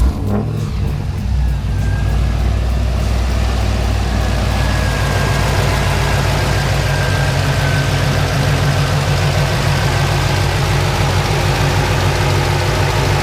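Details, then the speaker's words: LS V8 with LSA blower swap and newly installed LSX Concepts high-mount accessory drive, idling: steady lumpy idle with blower whine, no squeak or squeal from the belt, pulleys aligned without wobble; normal idle. "Everything is perfectly straight, you know, there's no wobble from any of the pulleys. Everything is like aligned perfectly. Even on startup, like the first startup, there wasn't even a squeak or a squeal or anything from the belt."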